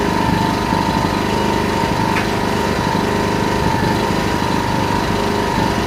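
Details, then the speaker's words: Yamaha EF1000is generator in eco mode, no load: steady even low-speed drone with no misses or knocks, holding lowest idle until a load raises rpm; normal eco mode idle. "So in eco mode, this thing actually runs as low as possible until once you apply a load to it, then the generator will go up."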